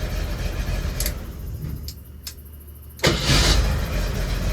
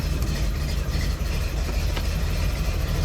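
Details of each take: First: Jeep CJ7 starting on its original ignition switch after something that had come unplugged was found to be the no-start cause. A short crank, then it catches quickly into a steady idle, twice in a row; it starts cleanly and reliably. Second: Jeep CJ7 idling rough, with an uneven, lumpy low rumble and a wavering beat, after its ignition no-start was fixed. The owner suspects the fuel, probably four-year-old gas; the cause is not confirmed.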